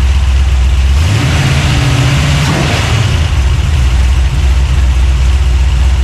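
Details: Freshly built 383 stroker small-block V8, just installed in a 1970 Monte Carlo and fired up for the first time: deep rumbling idle, then one quick blip that rises and falls cleanly back to a steady lope. It revs freely and normally.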